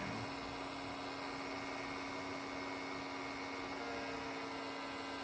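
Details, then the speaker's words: Beige Power Macintosh G3, long stored in an attic, running after boot: a constant mid-pitched hum over a steady airy whir. The noise comes from the rear fan; the owner suspects worn bearings, unconfirmed. "It's the fan. It's the fan on the back of this thing. I think it's a bearings issue or something."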